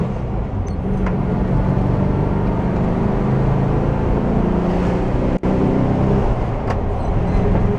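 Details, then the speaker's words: VW bus on local highway after gear reduction box bearing repair (particulates from failed transmission suspected): even low engine and road rumble at cruising speed, no gear whine or grinding; slightly more rumble in turns, drivetrain now quiet. "nice and quiet you throw it into the turn you hear it Rumble a little bit more and you pre-load the bearings heing quiet now though"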